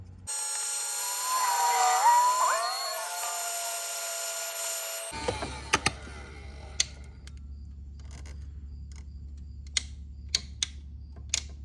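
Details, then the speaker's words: Heat gun (about 10-year-old dual-temperature gun) while heat-shrinking solder-seal splices on 2010 Ford Edge 3.5L injector pigtail: steady warbling blower whine cuts out suddenly to faint hum and ticks; owner suspects run-over damage. "Did you hear that noise? My heat gun just took a poop. You know why? I may or may not have ran it over today."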